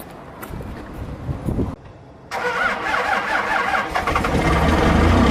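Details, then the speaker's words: Cummins diesel truck cold start with grid heaters plugged in, block heater off, same temperature as earlier test; cranks about 1.5 s, pauses, fires cleanly into strengthening steady idle; normal start, though block-heater-only start seemed easier. "Fired up, no problem there. I think it started a little easier with the block heater plugged in and no grid heaters though."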